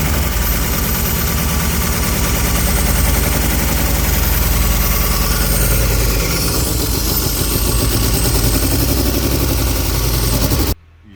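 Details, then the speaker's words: BMW E36 328i on first start after refit of battery, water hoses and airflow meter: loud, lumpy idle with uneven chuffing beat and missed pulses; misfire consistent with injectors stuck from sitting. "C'est bien ce que je pensais. Injecteur. Injecteur."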